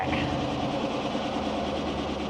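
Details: Chevy Silverado GM V8 at first start after a fuel pump module replacement, done without dropping the tank: the pump primes with no leaks, then a steady even hum with a faint pump whir, no misses or knocks.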